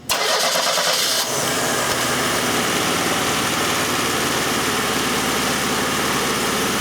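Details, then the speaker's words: 1991 Oldsmobile Cutlass Calais 2.3L Quad 4 DOHC at idle: catches and settles into a rough, stumbling idle with uneven beats, misfiring badly; fault traced to cylinders one and four, with a shorted injector found. "so it's misfiring real bad and I actually took the uh Clips out of the number one and four"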